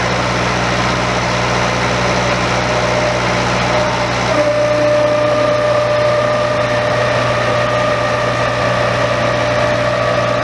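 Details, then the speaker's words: Old Bobcat 825 skid steer diesel idling with steady high hydraulic whine rising in pitch; machine wouldn't lift its own bucket, owner suspects a relief valve on the control valve stuck open or going over relief. "It sounds like the hydraulics are going over relief, and then to the end of that, it wouldn't even lift its own bucket."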